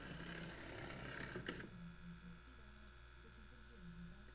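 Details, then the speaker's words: AIWA NSX-520 stereo, three-disc CD changer: faint motor whir and clicking that strains then cuts off as the tray drive pulls but cannot retract the tray; CD function faulty before repair. "certo ele está aqui reposicionando OK e ele não consegue voltar a bandeja a força"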